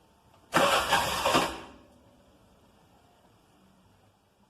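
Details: Mototaxi starter with the battery at 12.71 V, dipping to about 11.4–11.5 V while cranking: a brisk, even starter whirr of about a second with no dragging or clicking; the battery is healthy.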